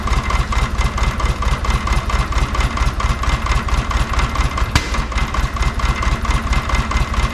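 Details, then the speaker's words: VW Beetle flat-four: uneven, loping idle with a rhythmic stumble about twice a second; number three cylinder dead (maybe two and three), misfire from crossed plug wires (firing order mix-up). "well number three is dead I'm guessing two and three are dead"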